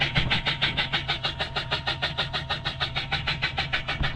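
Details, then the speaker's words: Jet ski after the power cut out with a beeping alarm and it would not switch off: a steady rhythmic whoosh at about three beats a second; owner thinks it is the bilge pump, which doesn't usually sound like that. "I think that's the BGE pump, but it's not usually making that sort of sound."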